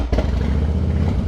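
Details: 2008 Harley-Davidson Softail Deluxe V-twin, previously hard to start, after servicing and repair; catches almost instantly on the starter, then settles into a lumpy, even idle with no misses; normal start.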